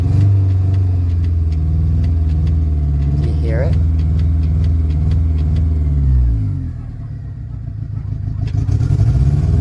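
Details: 2001 Honda Civic LX, revving engine while checking alternator, earlier high/low idle and flickering: steady revs with faint uneven light ticking about four per second; clicking of unidentified source.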